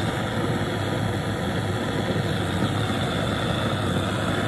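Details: Antique white-gas liquid-fuel blowtorch, restored, at full flame after preheating: steady, even rushing roar that holds without sputtering or pulsing, burning cleanly at full flame.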